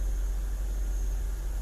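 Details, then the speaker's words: 2006 BMW 750Li with N62 V8 after replacing the valve cover, upper timing cover and alternator bracket gaskets: a deep steady idle with intermittent brief stumbles like a miss or misfire, and codes are stored. Cause unknown. "It's running smooth, and then it has like this little hesitation to it, like it's missing or misfiring."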